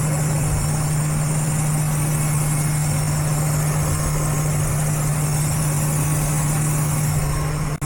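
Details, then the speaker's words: Idling engine, short-term fuel trims both at 30%, hood open: steady idle hum with a constant airy hiss; vacuum leak found under the engine cover, trims normal after covering it. "It's alright. I do kind of hear a vacuum leak or something. What is that?"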